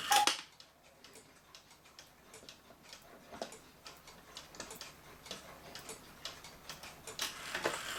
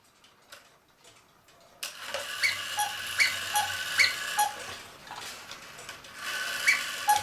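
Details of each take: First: 1940 Lux cuckoo clock with a one-day double-weight movement, reassembled, described as almost brand new: a crisp, even, unhurried tick-tock in a quiet room; it is running normally. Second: 1940 Lux cuckoo clock tested before repair at the half hour with the case side off: thin, hollow two-note cuckoo calls over soft ticking, as the bellows lack the case side; otherwise it sounds good, and the bellows will be reglued and the movement oiled.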